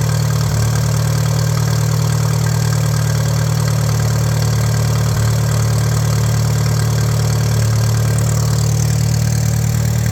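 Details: 1941 Case SC tractor, run without coolant: deep even idle about 160 beats a minute, no knock or miss; carb still needs tuning, no fuel leaks, 30 lbs oil pressure, healthy idle.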